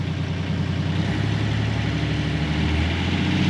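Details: Catamaran marine diesel engine after replacement of the engine wiring harness, first test run; even clatter building smoothly as the throttle opens, no misses or stumbles, running healthily.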